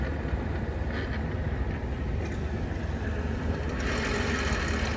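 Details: Jeep TJ NV3550 manual transmission, running with clutch barely released after fluid drain: loud rough marble-like rattle; noise stops with clutch in, likely input shaft bearing; high gears louder than low.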